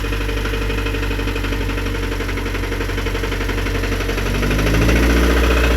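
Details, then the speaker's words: Scion tC after starter replacement, extra oil added, idling: sharp regular deep knock about four per second over the idle; owner says the car is done for; rod knock from spun rod bearing. "My car is done. It is done for."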